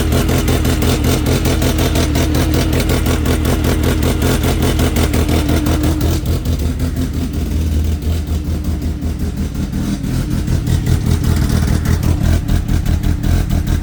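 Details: 2003 Mercedes C230 with manual transmission at idle: low, choppy idle with uneven pulses about two or three a second and a wandering beat that never settles; rough idle.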